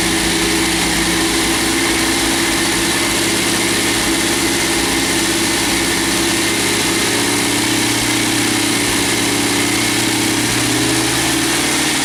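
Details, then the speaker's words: MGB GT first start after head gasket replacement, valves ground, electronic ignition fitted: loud steady idle with even mechanical clatter, no misfire or knock; runs normally, though a large water leak found. "so it does run we've got a massive water leak down here"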